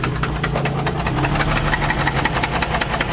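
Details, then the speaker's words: BMW 335 twin turbo, just jump-started, at idle: light, even tap repeating steadily, heard from underneath; the owner thinks it is the transmission or torque converter rather than the motor, unconfirmed. "oh that knocking noise it sounds like the motor but i think it's a transmission making that noise"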